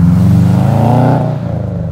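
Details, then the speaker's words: Bugeye Subaru Impreza WRX STI (UK model) with full 3-inch Blitz exhaust and uneven exhaust manifold. A deep, uneven burble through a short rev with no knocking, normal running. "So, exhaust system, full 3-in blitz, nurse spec, and it sounds lovely. Uh, typical Subaru noise, uneven exhaust manifold, typical Subaru blue with the gold wheels."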